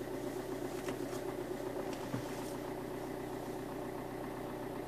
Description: Alfa 159 JTDM Lusso developed rattle/chattering noise. Goes away when pressing the clutch pedal at about 41 seconds in.